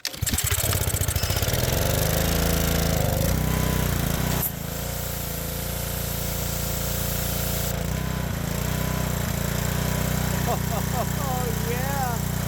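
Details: Power washer's small single-cylinder petrol engine, tested after a new hose clamp was fitted and the water hooked up, runs loud and steady, holding speed under pump load with even firing and no misses or surging; normal running under load.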